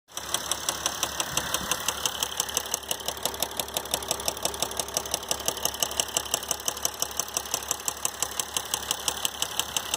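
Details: 2012 Mercedes GL350 diesel at 125k miles, steady idle: sharp regular ticking knock about three per second; failed rod bearing, dealer proposed replacement engine, owner plans to rebuild the engine.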